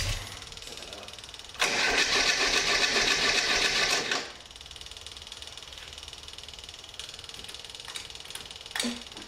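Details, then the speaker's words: Stone-cold Swift FF95 Formula Ford racing engine: cranks, fires at once with loud rasping burst, settles to steady idle; normal start, previously hard to start. "is thats pretty good pretty happy with that I think uh that started straight away really surprised with that"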